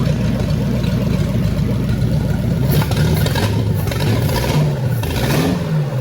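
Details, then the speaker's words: Flathead V8 in a 1927 roadster at first start-up after getting it running: low, even burble holding steady with a brief throttle blip, no tapping or misfire; good oil pressure, normal healthy idle. "It sounds real good."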